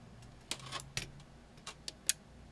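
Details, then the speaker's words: Elecraft K2 ham transceiver kit at first power-up mid-build, RF board not populated: preamp/attenuator switch tapped three times, giving three sharp clean relay clicks with quiet between them; preamp and attenuator relays switching normally. "tap the pre attenuation switch three times you should hear relays switch each time"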